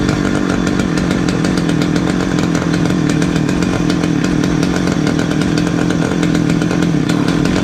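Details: Titan two-stroke petrol multi tool strimmer, started on choke indoors after new fuel lines and new spark plug; high buzzy note holds steady at speed with no dropouts, some smoke, runs well, though its tank isn't venting properly.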